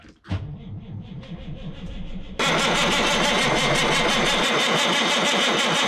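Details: 1987 Kenworth K100 cabover with a CAT 3406B diesel, sitting in a barn for about 25 years: steady rhythmic cranking at roughly two to three turns a second with no firing; it cranks but won't start.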